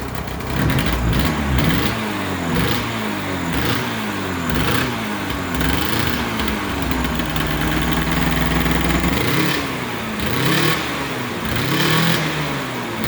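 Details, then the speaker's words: Polaris XC600 snowmobile two-stroke, newly re-ringed, cold: harsh, raspy blat rising and falling with throttle, far louder than normal because the exhaust gasket is basically gone, leaking exhaust. "It's loud because you know, the exhaust gasket, it's you know, it's not there anymore. It's basically gone. So it's super loud."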